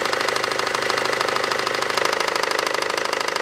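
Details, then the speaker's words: 2012 SsangYong Actyon 2.0 diesel, manual, 4WD, 77,000 km, idling with AC on: heavy regular pounding knock about twice a second from the lower belt drive; owner unsure whether shoe or tensioner failed; belt tensioner knock. "усиливает и при том очень сильный долбящей поле башмак развалился толи натяжитель непонятно"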